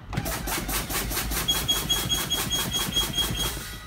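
A fast, even pulsing buzzer with a high tone, about four or five beats a second. The low-air warning is sounding as it should.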